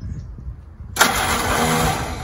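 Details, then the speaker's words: Willys L134 flathead Jeep engine, first start after a head gasket replacement (coolant had come out of the exhaust), taken outside expecting antifreeze smoke: weak, uneven cranking, then a sudden catch into a rough, busy run. Slow to fire; suspected not getting gas yet. "so we're going to take it outside the garage no I don't think it's getting gas yet"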